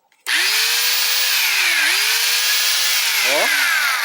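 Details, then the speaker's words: Makita angle grinder that was making a strange noise, after bearing lubrication: smooth steady motor whine that dips and recovers under light load, now quiet; bearing still feels like it catches and may need replacing. "É basicamente o barulho que a esmerilhadeira faz. Tá bem? Ó. Né? Tá bem silenciosa."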